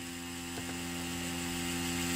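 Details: Tattoo machine run on a test bench power supply at about 6.8 V through an adapter cable plus the original cables: steady high-pitched motor whir starting and holding an even tone with no stutter; normal running.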